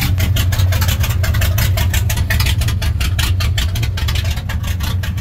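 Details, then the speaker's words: 1984 Dodge RAM D150 318ci V8, Carter four-barrel, MSD ignition, headers, cold start on a cold day: deep, uneven loping very low idle with wandering pulses, thought to be from a big cam. Rough low idle. "I'm sure it's because it's super cammed very low idle here it is"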